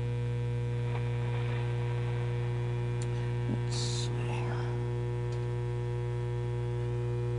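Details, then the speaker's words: Monarch radio with shortwave bands: constant low mains hum that stays the same as volume is turned up, under a faint station; classic power-supply hum from failing filter capacitors. "it's got a classic filter hum turn this thing on it's not super bad but it's still very annoying"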